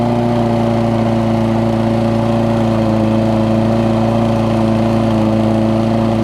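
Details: Toro self-propelled mower with Kohler engine, after cleaning spark plug with carb cleaner restored spark: clean steady hum at constant speed, no surging, sputter or misses; runs healthy.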